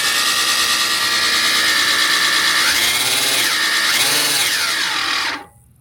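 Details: reelCNC Gen 3 electric conversion kit, battery powered, started after returning the 0–100 speed potentiometer to 0: high electric whine dipping in pitch twice as speed changes, then winding down cleanly; drive motor runs normally.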